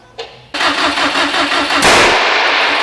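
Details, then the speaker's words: Built Subaru STI first start, gas pedal held down, timing seemed off: cranks, catches roughly, then one sharp loud bang. Backfire from swapped ignition coil wires on cylinders one and three. "Alright. That was loud. What the frick was that?"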